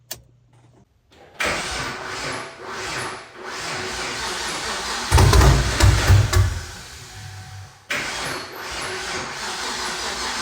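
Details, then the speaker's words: Hot restart after about a 20-mile drive with the engine fully warm, following a new starter and heat blanket install on a 5th-gen car: a brief strong crank, instant catch and steady idle. The hot-start problem appears fixed. "Starts up strong. I'm pretty sure that's going to take care of the problem."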